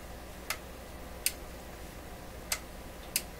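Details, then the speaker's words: McIntosh MR71 FM receiver during 19 kHz pilot adjustment: four sharp irregular clicks over faint hiss, like a switch, near the end of the control's travel where the stereo light stays on; fault in the pilot circuit, cause not found. "almost sounds like there's a switch in there, doesn't it? Well, that's something horrible happening in there."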